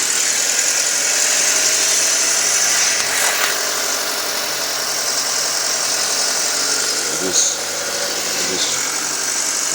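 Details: 2007 Audi A4 2.0T idling very rough, RPM sometimes rising to 2,000, with loud steady hissing suction at the pulled oil cap or dipstick and irregular stumbles; owner also notes a worsening ticking and a check engine light that went off.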